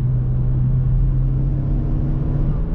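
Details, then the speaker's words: Chevy Cruze turbo on a road test after an upgraded wastegate actuator spring and closed airbox; boost now about 26 psi; deep, even engine rumble pulling under load, noticeably louder with the extra boost, no knocks or rattles; normal. "yeah i hope you guys can hear that on camera but it is it is definitely a little bit louder with the extra boost"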